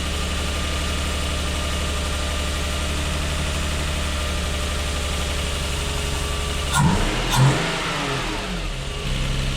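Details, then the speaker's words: Lexus IS200 with code P0301 cylinder 1 misfire, after a repair attempt: uneven, lumpy running with an irregular stumble that sharpens as revs rise and fall; still misfiring though no warning light or codes, ignition coil faulty. "yeah it's definitely not right there's no warning light on at the moment but it's definitely not running right"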